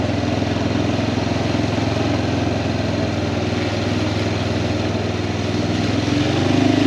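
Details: Kawasaki Prairie 400 ATV after engine rebuild, riding test: steady, even single-cylinder drone under load, picking up smoothly near the end, no knocks or rattles; engine healthy, float still needs adjusting.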